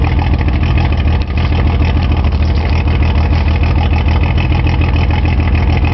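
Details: Nissan 280Z six at idle with a bad injector stuck open: deep, lumpy, uneven throb with no steady beat, rich stumbling running.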